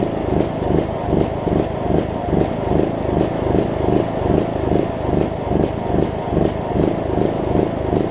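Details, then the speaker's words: John Deere LA105 riding mower single-cylinder, unrun about three years, at about 40°F after tank and carburetor cleaning: runs but surges, swelling and dipping two to three times a second; owner suspects remaining gunk in tank. "second gasps like crazy though I think there's a still a little bit of gunk and whatnot in the tank that it might have to work out"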